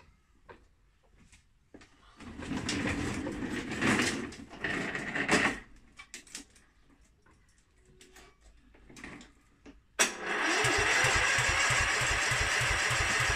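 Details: Mountfield SP536ES self-propelled mower, RM55 160cc engine, after service, new battery and drive belt: some clatter, then electric start catches at once into a fast, even popping run. Starts cleanly; normal start and run.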